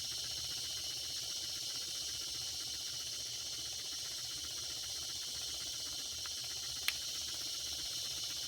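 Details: Circa 1946 Watt Victor electric-heated toy steam engine after repair, smokestack near 200 degrees: steady, even steam hiss with no knocks, sputters or stalls, speeding up as temperature rises; running normally.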